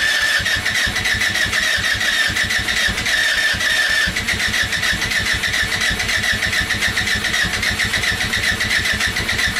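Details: Go kart small engine, cold start in snow just above freezing: steady starter chugging three or four strokes a second with no firing; cranks but won't start, hard cold start.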